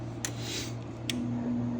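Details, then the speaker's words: Furnace on a no-heat call just after inducer motor replacement, W jumped at the board; steady motor hum with sharp clicks as the pressure switch verifies draft; new inducer starting normally. "There goes our inducer motor. Awesome. And then our pressure switch is going to verify the draft."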